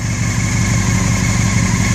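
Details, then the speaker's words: Honda CBR600 F4i (2001 bike, 2005 engine) stunt bike, revived after sitting six years in a roofless shed, warming up: steady, even low rumble with no misses, knocks or ticks; smooth healthy idle. "H is sounds like a [ __ ] Formula 1 car that is great the lot piece lives again"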